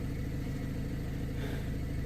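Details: 2008 BMW 116i 1.6 petrol idling smoothly with a steady, even low rumble after fault clearing; earlier rough idle and misfire with code 29D0 traced to injector calibration.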